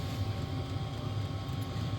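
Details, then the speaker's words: Diesel parking heater turned up to a 3.5–3.6 setting to check for smell: a steady low combustion roar with an even fan hum, no misfire pulsing or rattles. It is running normally. "Anyway, I'm not going to film all that for you, but like I just wanted to show you how the thing opens up and kind of what it sounds like while it's running and stuff."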